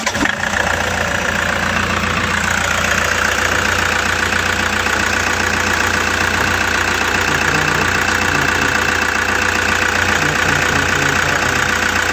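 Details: Toyota Hiace with 2KD diesel, restarted and catching on one crank: loud, steady idle with an even beat of about 220 a minute and no misses; normal idle.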